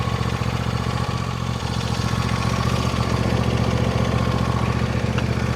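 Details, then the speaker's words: 2014 John Deere D130 riding mower, after electrical and deck repairs: steady even single-cylinder putter at idle, regular beat, nothing rattling or missing; owner says it's running great and cutting great. "We'll take this for a little test drive, but it's running great and cutting great"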